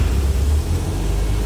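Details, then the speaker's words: Cold start of a 1962 Nash Metropolitan convertible with a little choke: low, steady four-cylinder putter holding an even idle without stumbling, caught easily; normal cold idle. "We have a choke off to the left here. I think I got that set about the right spot. Give it just a little bit of choke."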